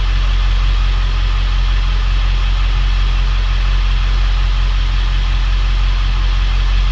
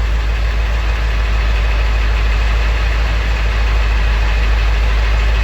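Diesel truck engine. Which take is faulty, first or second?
second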